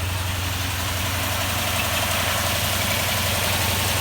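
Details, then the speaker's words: 2004 Toyota Tundra, after new spark plugs, injectors and ignition coils, cold start: steady even hum at raised idle until warmed up, no knocks or misses, oil pressure present; normal cold high idle. "Got oil pressure. Still idling high at the moment until it gets warmed up a little."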